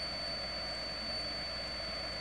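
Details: Cheap failing power supply: steady high-pitched coil whine over soft hiss; it failed about 45 minutes later in blue smoke, tripping the breaker.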